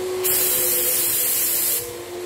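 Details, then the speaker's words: Graco 9.5 Pro Contractor HVLP turbine with Edge 2 Plus gun spraying water-based paint: steady whine with hissing air rush, pitch dips slightly as the trigger is pulled then recovers; normal pressure drop. "So, as well when I'm spraying, if you can hear that, as soon as I pull that trigger, there'll be a drop in pressure"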